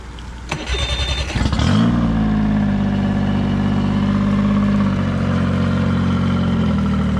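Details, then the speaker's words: Evinrude E-TEC 115 hp tiller outboard, after a sticking throttle was freed: catches after a short crank and settles into a smooth, even idle with a steady tone and no knocks or stumbles. "running great time to move on to the next one i guess"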